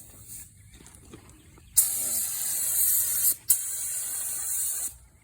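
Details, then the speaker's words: Paint spray gun spitting and sputtering while painting Kenworth W900 model exhaust stacks and rear end: hissing spray bursts cutting off and restarting unevenly instead of a steady hiss; with metallic paint, stop and fix it or the finish goes blotchy. "especially if you got paint with metallic stuff in it, you better stop and fix it. It will be blotchy."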